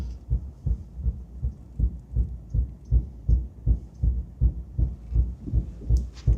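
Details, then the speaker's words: 1961 Buick LeSabre convertible with Nailhead engine, driving: deep regular booming thumps, nearly three a second, which the owner suspects come from a failed driveshaft center support bearing; the driveshaft is to be pulled. "Oh, I can hear the thump. I don't know if you guys can hear the thump, but I can hear the thump of the center support bearing. It's definitely not a good thump."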